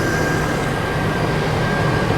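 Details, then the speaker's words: Salvage-auction vehicle with 6.0 liter engine, coolant a little low: steady even roar with faint constant tone, no knocks or misses; engine runs well. "see how she sounds over here it runs it runs well runs well"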